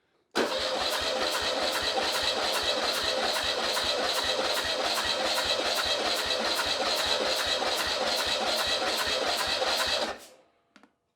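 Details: Porsche 911 Carrera 3.2L engine on a stand, spark plugs out during compression test reading about 175–190 psi: steady, even cranking at about two and a half pulses a second, no skips; healthy compression.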